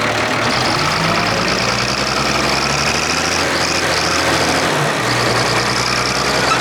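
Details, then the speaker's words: Clark Michigan front-end loader diesel, working, with a miss on number 6 of the inline injector pump. An uneven, lumpy beat is heard as one cylinder keeps dropping out. "Alright everyone, you can hear that miss in it when I'm working. It's number 6 on the inline injector pump there."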